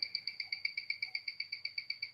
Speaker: but you can hear it ticking away and it has a rate amplitude beat error